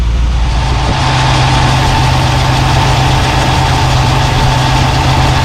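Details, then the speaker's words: 1972 Mercedes-Benz 280 SE 4.5 D-Jetronic, fully warm, idle about 1000 rpm, fuel pressure about 30 psi, checked for suspected vapor lock hot-start issue: smooth, steady low idle with even beat, no whooshing, knocks or misses; normal warm idle. "exhaust note sounds good and let's see see if we hear any whooshing no that's good"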